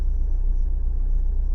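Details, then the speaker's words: Renault/Dacia 1.5 dCi diesel on a cold start: a lumpy, uneven idle that shakes as it seems to run on three cylinders, a misfire traced to one injector whose back-leak value rises to about 1.80–2.0 when cold; it smooths out after about five minutes. "Yeah, it's shaking a lot. You see, now it starts really misfire. Can you hear?"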